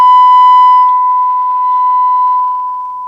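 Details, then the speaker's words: Denon AVR-1705 AV receiver after repair for going into protect, 1 kHz test tone into CD input: clean steady tone on both channels without distortion or crackle; normal amplifier output. "Okay, here's our tone. And it's working both channels, I think."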